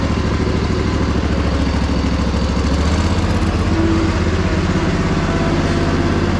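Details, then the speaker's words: Crusty Poulan Pro zero-turn, driven out in the rain with the deck engaged: an even low thrum with a faint hydro whine and no grinding or bearing chatter from the spindles. Normal running. "there is no way that you could have paid me to know that this machine would run that well looking at it"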